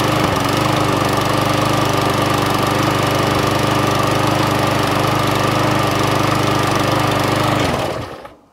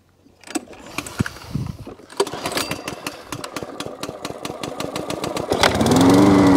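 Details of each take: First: Murray MP 450 lawn mower with flathead Briggs engine, run on homemade ethanol-free fuel; steady, even small-engine drone for about eight seconds, then a clean shutdown, running fine, needing only a service. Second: Job-lot Hyundai lawn mower left overnight with nothing done to it, fuel in the tank, pull-started; chuffs catch into an uneven fast putter of about four beats a second, rising briefly before the engine fails to settle. Starts then stalls.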